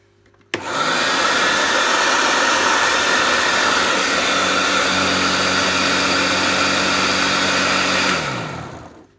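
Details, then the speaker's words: Restored Goblin Electra vacuum cleaner, fitted with a Kirby belt, switched on then to low: motor spins up sharply to a loud, steady, even whine, then coasts down smoothly; sounds really good, normal running. "Wow, that sounds really good. I'll put it on low."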